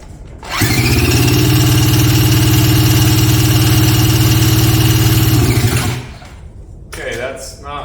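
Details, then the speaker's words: 1977 Polaris Colt 250 snowmobile, a barn find unrun for about 18 years, cranked: steady spinning for about five seconds with no catch. Fuel is visible in the line; owner suspects no spark, though a spark tester then showed spark on one cylinder. "that's pretty odd I'm not getting nothing it almost acts like I can see the fuel going through the fuel line but almost acting like I'm not getting any spark so maybe I'll check spark real quick here"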